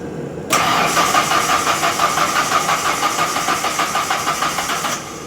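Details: 1997 Mazda B2300 (rebadged Ford Ranger) after replacing a badly snapped timing belt; brief crank, catches at once and holds a steady even idle; starts and runs normally.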